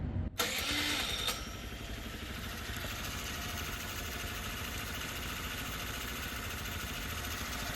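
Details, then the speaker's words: 2001 Honda Elite CH80 scooter, sat 8 years, after a gas tank clean and carb work, warmed up: quick catch on the starter, then a steady, even idle with no misses; runs fine. "So that's great. I mean, I'm really happy. The engine sounds good. It's running good. It starts up each time."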